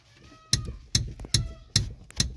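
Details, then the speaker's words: Car clutch pedal pressed and released: sharp metallic clacks, about two a second, because the rubber pedal stop bumper has deteriorated and gone missing, letting metal hit metal. "ถ้าผมสังเกตมาหลายวันแล้วนะครับได้ยินเสียงเวลาผมเหยียบคลาสนะครับแล้วมันก็จะมีเสียงดังแบบนี้ครับ"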